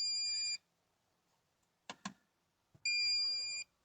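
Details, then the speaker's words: Maxx Air vent fan: unless run at 10%, it shuts itself off, followed by two long shrill beeps with soft clicks between them; the control board signals a fault, and the fix is replacing the board and motor. "there goes guys it'll go ahead and turn off myself followed by this series of beeps"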